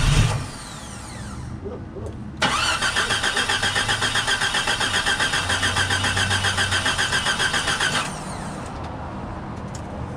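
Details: 1992 Jeep XJ after a water pump replacement, belt and steering pump refitted and the auxiliary fan not yet installed. The starter spins steadily about four beats a second for over five seconds and never fires: cranks but won't start.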